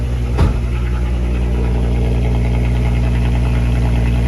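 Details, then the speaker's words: VW Mk5 R32 VR engine after new spark plugs, with original ignition coils, new intake and fuel pump: smooth, deep, even idle with no misses. Earlier exhaust pops are gone. "Ooh, that's buttery. No more pops from the exhaust."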